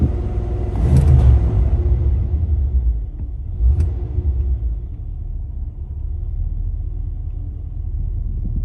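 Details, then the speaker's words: 1985 Chevrolet Caprice Classic 5.0L 305 V8, about 152,730 miles, cold start after EGR valve replacement (was low rough warm idle and stalling); after early bumps settles into low, steady, even idle, sounds healthy. "okay so starts right up let it idle for a little bit warm up and see how it performs"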